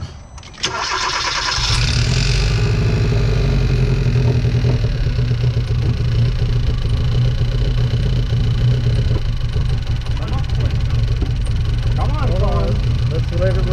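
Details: 2013 Hyundai Veloster four-cylinder, over 100,000 miles, misfires on cylinders 1 and 3, started while checking fuel supply: starter catches, then engine labours with low uneven beat and wavering revs, nearly stalling; rough running near stall.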